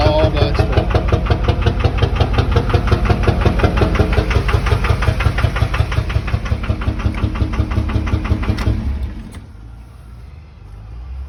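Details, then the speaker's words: 2003 Duramax 6.6L LB7 diesel, over 308,000 miles, which had blown black smoke, idling at a stoplight: a sharp, even knock about three times a second, then shutoff; suspected rod knock or stuck-open injectors 4 or 6. "um and it stopped at a stoplight and i heard a knock not sure what it might be a lot of people are saying either rod knock or injectors 4 or 6 are stuck open"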